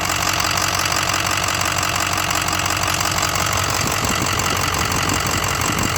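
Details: 2006 6.0 Powerstroke diesel at idle: loud clatter with a repeating tick-knock about three per second that tracks engine speed; lifter tick or rod knock suspected, cause unknown.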